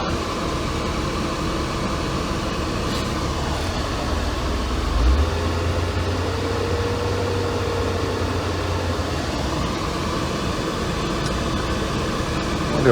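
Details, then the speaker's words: 1992 Mercedes-Benz 300E W124 idling on a hot day (about 94°F) during a cooling-fan test, with the blower motor on high speed; steady, even roar over a quiet idle. Owner suspects it may need a new resistor. Loud blower on high. "the blower motor just needs maybe a new resistor or something"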